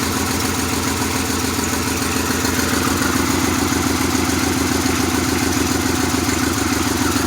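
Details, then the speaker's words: 1997 Pontiac Grand Prix GTP coupe, still misfiring at idle, with an uneven, stumbling beat about twice a second under a busy hum. It is shaking a little and blowing white smoke. "like it's running pretty good right now it is shaking a little bit not much"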